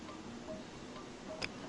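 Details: 2004 Jeep Cherokee sunroof that won't close, switch bypassed at the three-way connector: two faint sharp clicks with no motor whir; power reaches the unit but the sunroof motor is seized, later replaced.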